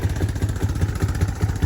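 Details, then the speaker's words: Honda Recon 250 ATV with an aftermarket Chinese carburetor, choke fully off: a low, lumpy single-cylinder idle at about five beats a second, still rough when given gas. The machine shakes and the exhaust smells of fuel, pointing to running very rich. Plan is to check the jets and refit the OEM carb. "It almost sounds like the choke is on, but it's not. The choke is completely off. You can just hear the idle is not smooth, and then even when you give it gas, so it shouldn't be running like that. The whole bike is kind of shaking too. It's just not smooth."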